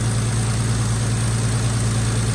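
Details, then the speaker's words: 1946 Chevy boom truck inline six, first run after sitting 35 years with a water-filled, locked engine now freed: started right up, even steady low idle with no knocks or misses; runs smoothly. "Yeah. She started right up and then she started idling. You just can't kill one of these old inline sixes."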